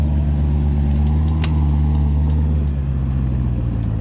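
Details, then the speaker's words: C7 Corvette ZR1 reversing at full steering lock over a low idle. Sharp, irregular snapping clicks come from the front wheels, from both sides depending on turn direction. It is a known issue with a technical service bulletin, described as easily fixed. "so like I said you have to have the wheels fully cocked and backing up at the same time and you'll hear a clicking sound coming right from in here"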